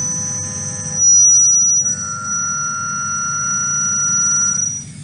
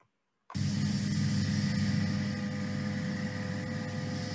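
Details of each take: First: Milling a lightweight thin-walled tube: piercing steady high whistle over cutting noise, sound sensor measures chatter at 5,800 Hz from the cutting tool, far higher sound pressure than stable cutting; tool chatter. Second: Milling a lightweight tube structure monitored by a chatter sound sensor: after a brief silence, a steady even low cutting rumble with no high squeal; sound pressure about 0.05 Pa versus 35 Pa during 5,800 Hz tool chatter; stable cutting.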